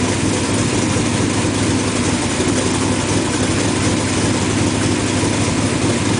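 Steady, even idle with a smooth low rumble and no misses, ticks or stumbles; engine running cleanly.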